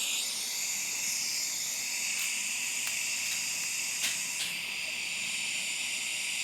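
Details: Firstess (Yeswelder) DP200 in lift TIG mode, 125 amps on 1/8 in plate, manual shield gas valve: steady, even high hiss with only a couple of brief crackles and no popping or sputter; stable, healthy arc.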